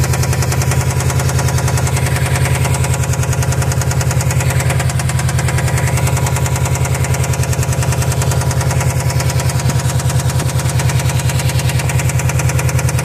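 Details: 2005 Subaru STI turbo boxer, almost stock with only a Tial Q blow-off valve, about 130k: steady running with a deep, regular bottom-end knock; rod knock suspected, not confirmed.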